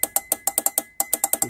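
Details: 2011 Toyota Kluger V6 with U151F automatic transmission, slipping through gears when cold. During a filter service and solenoid flush, the on-off shift solenoid is tested: crisp, even metallic clicks about eight a second with one short pause, switching cleanly.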